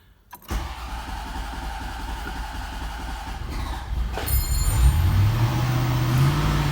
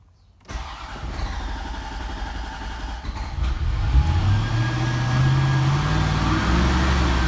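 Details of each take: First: 1991 Corvette ZR-1 LT5, in neutral with clutch in: catches and runs a low, uneven idle, then labours and bogs as throttle comes in and quits; fuel starvation, owner unsure fuel or ignition, later fixed with a fuel pump replacement. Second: 1991 Corvette ZR-1 LT5 with a starts-then-stalls fault, in neutral with the clutch in: fires after a short crank, settles into an even low rumble and revs cleanly, smooth with good oil pressure. Mechanically healthy; owner suspects electrical or fuel pump.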